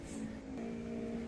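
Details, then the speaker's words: Old Dell Inspiron laptop: steady high whirring with tones near 230 and 450 Hz, like a jet engine; worn noisy cooling fan, quieter when laptop flipped upside down. "obnoxious noise. That sounds like a jet engine. The fan’s gotten so noisy that it was impossible for her to use during class without worrying about annoying her classmates and professors."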